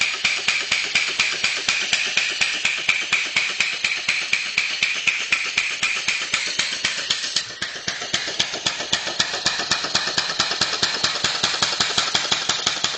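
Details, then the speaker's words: Two-cylinder former Sears air compressor with 2.5-inch stroke, converted to a steam engine with a homemade cylinder head and flywheel-driven actuator valve system: crisp, even exhaust chuffs about four per second, no missed beats or knocks; running normally. "I threw away the old head and I made another head for it and have a valve in it system, and that valve system is pushed by the actuator, and the actuator pushed by the compressor flywheel like that."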